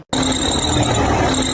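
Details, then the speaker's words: Car engine serpentine (drive) belt noise: a steady, piercing high squeal over the running engine, typical of a slipping belt. "Tiếng dây cu doa."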